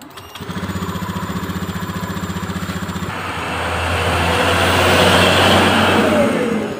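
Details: Honda Beat fuel-injected scooter that would not idle, idle screw turned two full turns from normal setting: about three seconds of steady cranking, then it catches and settles into an even, smooth run; target about 1300-1500 rpm.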